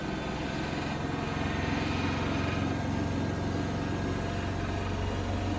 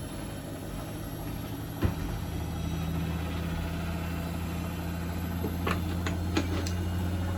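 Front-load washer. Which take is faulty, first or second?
first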